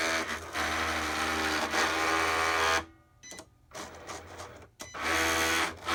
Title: Cricut grinding noise